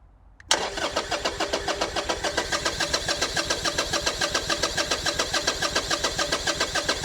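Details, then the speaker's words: Salvage Harley-Davidson V-twin with new battery, fuel pump priming, injector working and good fuel: steady starter churn about three and a half beats a second, building oil pressure but never firing; cranks, no start. "If anything, at least it's building oil pressure. The one thing I will say though is I expected that to at least fart around."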